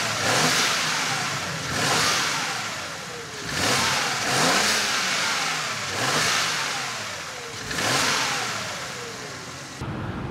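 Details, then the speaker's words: BMW 335i wagon, N54 twin-turbo, new quiet sleeper exhaust (325 stock system with 335 front section), on a drive: smooth pulls through several upshifts, pitch rising and falling per gear, muted exhaust, clean healthy turbo run. "i gotta say i asked for something quiet and something quiet i have made"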